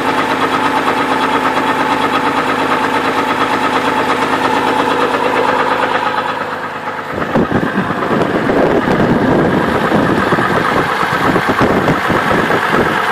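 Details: 2002 Trailblazer at idle with the belt removed: rough idle with a loose, uneven knock about twice a second that stays with the belt off, pointing inside the engine; suspected rod knock, not confirmed.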